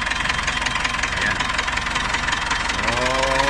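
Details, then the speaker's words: Dodge Ram 4D56 diesel on its first start, cylinder head not removed; busy uneven clatter with light ticking about three times a second, expected to fade with longer running. Engine noise on first start. "medyo ano siya. Mawawala din yan yung ingay. Pag tumakbo ng matagal. So, unang andar pa lang."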